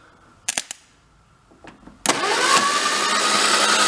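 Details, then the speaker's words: 1953 MG TD parked 45 years, on a lift with the starter refitted and the valve cover off: after a few clicks it cranks at an even, steady pace with no clacking, and oil flow appears. "sounds good no clacking like to see if we get some oil coming up there"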